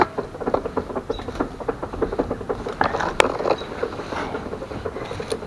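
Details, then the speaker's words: Speedometer cable on The Monster, which has a controller error code 7, turning after a fresh cable change. Quick, even light ticking at about eight a second as the cable catches and binds. Cutting a piece off its end did not help. "cables working but apparently it's binding I couldn't figure out why so maybe it was too long so I cut off a little piece off the end of it"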